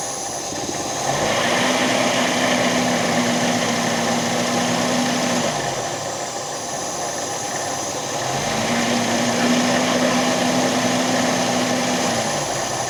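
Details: MGB, low compression on two cylinders: idle climbs, holds, drops and climbs again in slow waves because the choke would not stay out; timing possibly too advanced.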